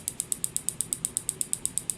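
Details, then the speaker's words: Standard (cheaper) USB killer plugged into a tablet's micro-USB port: sharp, evenly spaced clicks about eight a second as the capacitor repeatedly fires. The tablet apparently survives, likely due to built-in protection. "but it doesn't look like it died no it's not but it's definitely firing i think there's probably some sort of protection in there that's keeping it"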